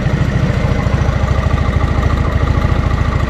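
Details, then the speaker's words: 1987 Honda 3813 lawn tractor engine, revived after years abandoned, started without clutch or radiator fan fitted; slow, even, quiet low thump at a very low idle, no smoke. Normal, smooth idle. "man just listen to that thing per thing is so quiet and it can idle down so low"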